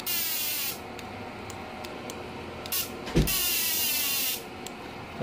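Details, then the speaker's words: GENERAL MMA/TIG welder repaired for non-working TIG spark-gap points, tested with 100 W bulb load: crisp hissing crackle in bursts of a second or more as the spark gap fires; normal TIG high-frequency arc start after repair. "Hai calon nempel yang terjadi loncatan api yang sangat tinggi Oke ini udah normal guys ya dari bunyinya sudah ada suaranya juga bekerja"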